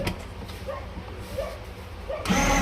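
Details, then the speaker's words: Kids' electric ride-on scooter with a 12 V battery (two 6 V) and a faulty starter switch: after the two outer switch wires are bridged with tweezers, a quiet start, then the drive motor and gearbox give a steady, even whir as it runs normally. "Scooter हमारा start हो गया अब हम देखेंगे इसको चला"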